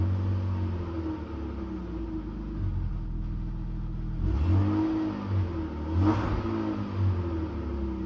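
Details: BMW E39 520i six-cylinder with original ignition coils at 179k km: uneven stumbling idle and rough revs with missing beats; misfire from failing coils.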